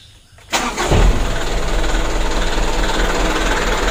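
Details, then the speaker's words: Mitsubishi Canter diesel after a new injection pump plunger was fitted and the fuel was bled: brief crank, fires almost instantly and settles into a steady, even diesel clatter at idle; easy start. "hidupnya sama-sama kita lihat dan dengar ya itu lumayan mudah ya Dikarenakan apa peluncur baru"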